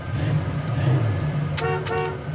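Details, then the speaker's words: 1969 Pontiac Firebird 400 4bbl V8 (rebuilt, per previous owner) idling low, then two clear, steady horn blasts with full, even tone; horn works properly. "Horn works. Dome light works."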